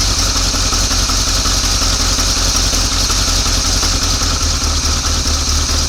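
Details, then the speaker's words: 1986 Chevy C10 Silverado V8 abandoned 15 years, fed from fuel pump: deep, slightly uneven burble at a low idle but running on its own; fuel leaking at filter housing. "all right it's idling on its own a little on the low side but it's idling on its own"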